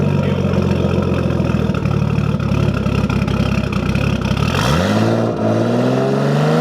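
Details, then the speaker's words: Nissan S14 with an RB20 swap and a full 3-inch straight pipe to ISR 3-inch pipes; loud, even idle with a straight-pipe rasp that climbs smoothly through a clean rev and settles back: a healthy engine. "It's a full 3-inch straight pipe all the way to the ISR 3-inch glass pipes, which is right here. And now we'll let you take a little sound of it."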